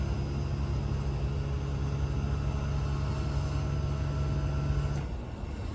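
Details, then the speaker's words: 12000 BTU mini-split heat pump outdoor unit in defrost mode at about 29°F, using about 1000 watts: steady low compressor hum still ramping with the fan not yet on, shifting near the end, normal defrost cycle. "the fan yeah the fan did not come on yet you can still hear it ramping"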